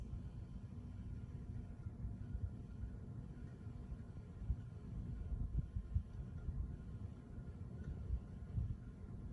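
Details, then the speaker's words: Old Minka Aire ceiling fan running with a low, steady rumble; bearings fairly quiet, with only a very faint grinding noise. "It's pretty quiet, isn't it? You could barely hear the bearing noises. That grinding noise, it's making a very faint grinding noise."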